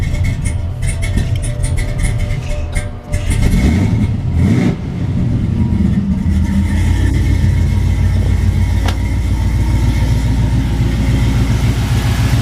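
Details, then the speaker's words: Chevy K10 after axle vent line and wiring repair, out of gear: cranks, catches promptly and settles into a steady, deep idle with no stumble or misfire; runs clean. "Alright, seems good. Good enough for me."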